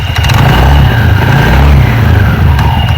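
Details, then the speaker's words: TVS Ntorq 125 BS6 scooter with sound and pickup problem, started and revved with CVT case open: deep, uneven flapping rumble surging with revs as the drive belt runs loose, moving in and out and slapping; worn variator rollers. "तो यहां पर जो है आपको belt में देखना है ये बेल्ट में जो कितना इशू हो रहा है ये अंदर बाहर हो रहा है"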